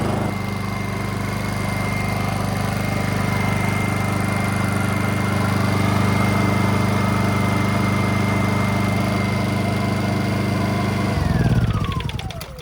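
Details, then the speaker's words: Honda EU2000i generator right after cleaning a badly fouled carburetor: smooth steady drone with an even whine on top, winding down cleanly at shutoff; runs better than before, owner credits two idle-jet O-rings. Normal running. "It works, and actually, believe it or not, it runs better than it ran before, and I have a feeling it's because of those 2 O-rings on the idle jet."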